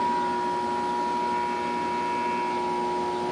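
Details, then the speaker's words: 20-inch metal household 110 V electric fan: steady fixed-pitch electrical hum with no blade whoosh, motor energised but blades not turning at first or on medium, barely and very slowly on high; cause not confirmed. "it's not moving at all. So if I go up to medium, still doesn't move. Go up to high, just barely moves. Real real slow."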